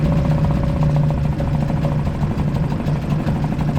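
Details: Suzuki 2.5 HP DF four-stroke outboard, earlier a no-start blamed on the oil level sensor, running in a water bucket with choke on and oil mid-sight-glass: single cylinder ticking over at an even beat with low hum, no misses; normal idle.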